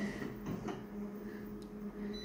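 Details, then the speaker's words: Konica Minolta copier, about three months old: a steady, nagging low-pitched squeak over the soft mechanical whir throughout the copy cycle, getting louder. Abnormal wear suspected, source not traced. "listen to that squeak folks that is terrible don't even have to stick the find inside the machine I don't think it's terrible me dead that's getting really loud"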